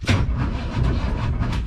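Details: A 1962 Chevrolet C10 4x4 engine cranks quickly and evenly with a strong, steady beat and no dragging. It has new battery cables and a recharged battery, and it is being run to check for damage after freezing weather.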